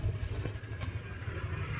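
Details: Honda Click 125 scooter that would not start because three switches had failed (brake light, sidestand, accessories). Now it idles evenly with a low, steady single-cylinder putter and no knocks or stumbles. Runs normally.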